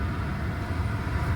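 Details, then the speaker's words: Wrecked, long-sitting Mercedes W220 S-Class watched for overheating, with an air suspension leak suspected at the left rear: a low, steady rumble with even loudness and no knocks or misses; idling smoothly. "Like I said, the car seems to be idling"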